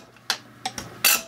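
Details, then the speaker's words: Zexel (Bosch) mechanical injector from a Kobelco SK160 backhoe that sat dormant seventeen years, rebuilt and on the pop tester: four short crisp crackling chatter bursts with good cloud atomization, a healthy injector. "sounds perfect we'll bring you in tight and look at the atomization but it's fantastic foreign chatter and just a cloud of atomization all right injectors chattering atomization is good"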